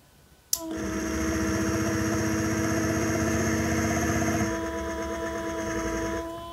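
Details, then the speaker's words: Mecpow X3 Pro 10W laser engraver air-assist pump: steady buzzing hum with fast throb about four beats a second; on the first two power settings it labours and doesn't move air, easing and blowing well as power rises. "quand j'allume sur les deux premiers niveaux ça ne fonctionne pas on sent que ça que ça peine"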